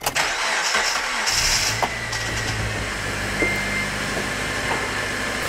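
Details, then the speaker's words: 2005 Honda Element, 2.4L K-series, manual, shop-diagnosed bad engine: starts and settles into shaky, uneven idle with rough lopsided beat; misfire, dead cylinder with low compression, power balance test via coil pack unplugging follows. "It's obviously got a miss. So I'm gonna do a power balance test here real quick. See if we can find the offending cylinder or cylinders."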